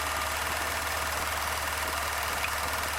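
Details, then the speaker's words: 1990 Chevy Silverado 4.3L V6, 5-speed, revived after sitting about a year, running after distributor timing set: fast, even ticking about three per second over steady idle hum, the throttle-body injectors clicking; injector cleaner planned. "or you can share here those injectors going clicky clack okay we'll have to run some uh injector cleaner through there"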